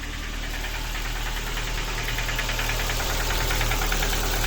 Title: Ford Focus 2 1.6 engine knocking. Sound of broken piston pins.